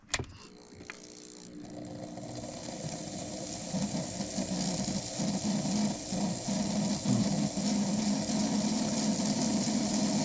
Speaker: It's an ugly sound, but it's working.